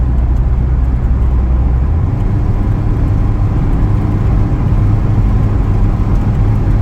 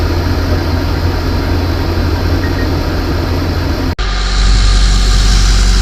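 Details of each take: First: Car after water pump replacement, warm engine after a couple of miles of driving: low steady drone that stumbles and briefly changes note about two seconds in when accelerating; sputter under acceleration, owner suspects heat soak, cause unknown. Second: Van idling after a water pump replacement during the coolant flush and bubble purge, engine heating up. Even low thrum at a steady idle, no ticking or misfires, with a short break; idling normally.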